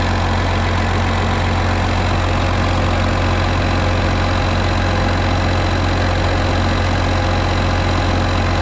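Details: Case 305 diesel idling after a fuel filter change, pump primed six times: steady clatter at about two and a half beats a second, no stumble or hunting. Idling normally.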